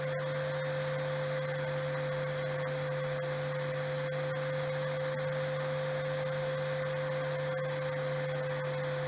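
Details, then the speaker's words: RO plant raw water pump motor after digital panel current setting raised to 1 ampere: steady, even electric hum running continuously without overload cutout; normal. "अब आप देख रहे हैं कि router continue चल रहा है, जो ओवर का दिखा रहा था वो भी नहीं दिखा रहा है।"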